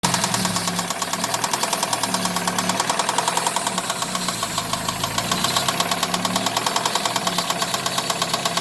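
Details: Daewoo Nexia 16-valve: rapid, steady metallic knocking over the idle, present both cold and warm; engine knock, cause unknown.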